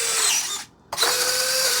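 Two quick, even electric whirs of about half a second each with a short pause between; retracts cycle smoothly and fast.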